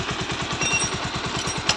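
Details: Bajaj Pulsar 125 BS6 single idling after repair: the owner complained of a phat-phat exhaust sound at start and low throttle, and a small thin pipe was refitted. A steady, even thump of about seven beats a second with no misses; it now sounds better than before.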